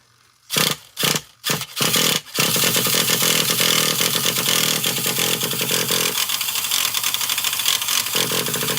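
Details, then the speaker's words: Traxxas Revo 3.3 nitro RC truck that had been running badly, apparently starved of fuel, with a badly bent exhaust: after cranking bursts it catches into a steady high buzz rising with throttle, more fuel flowing and more smoke, now running normally. "Sounds better to me. Looks like it looks I think there's a lot more fuel coming through there."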